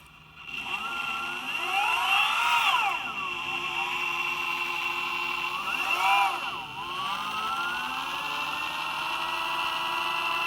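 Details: Boosted electric skateboard motor whines up and down in pitch, with a faint, irregular clicking while it runs. Clicking noise from the motor.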